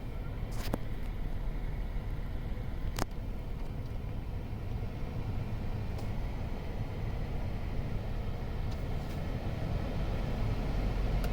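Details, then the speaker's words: 2012 Toyota Sienna XLE, about 135,000 miles, after replacing the blower motor under the glove box with a new Denso unit: steady low hum with AC running, vibration and noise gone. "With the AC running, there is no sound or vibration anymore, so that was it."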